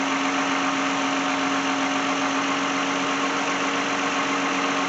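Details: 2010 Lexus in for no-start, customer wants alternator replaced; jump-started, alternator output 13.9 V: steady even idle hum, no knocks, misses or surging over the hiss; idles smoothly and is charging.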